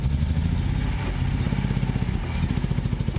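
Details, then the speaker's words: Nissan 240Z inline-six project car, started on a little choke: idle lopes and stumbles with dropped pulses; owner attributes rough running to weak ignition, not head gasket, since compression is 170–185 psi on all six cylinders. "yeah that yeah she runs real rough um due to weak ignition I know it's not a bad head gasket"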